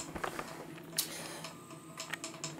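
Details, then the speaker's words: Aquarium filter pump running dry while the tank is being drained: faint irregular clicking and rattling over a low hum, the water-lubricated plain-bearing impeller knocking without water. "hört den klappern ist klar der läuft jetzt trocken wenn die trocken laufen fangen sie an zu schlagen"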